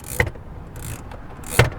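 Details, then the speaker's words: NA Miata (1990–1997) after replacing the broken HVAC controls, key-on test: two dull clunks from under the dash, each with a brief whoosh of air, as the mode doors move normally. "you can hear that working underneath it's clunking yeah that's working too"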